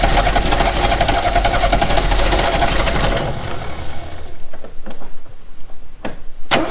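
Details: 1969 Renault 16 petrol, not run in years, on a rigged external fuel supply with fresh petrol after earlier no-spark troubleshooting: starter churns steadily about three seconds without firing, then stops; cranks fine but won't catch.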